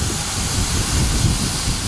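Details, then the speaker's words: Turbo 5.3 LS Chevy Silverado running with a fuel injector popped out of the 60 PSI fuel rail because its retaining clip was missing: steady hiss of fuel spraying over a low engine rumble; fire risk on hot headers. "That is fuel spraying all over the place. And if your headers are hot, you're now on fire."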